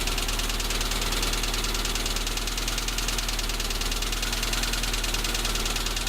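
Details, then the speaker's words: Tavria, MeMZ-245 engine rebuilt with Avtramat pistons and 1.2 crankshaft, knocking after 800 km, idling: dull metallic knock about three per second that grows when cylinder 4 is cut out; suspected piston-pin knock in cylinder 4. "Отключение 4-го цилиндра. Стук усилился."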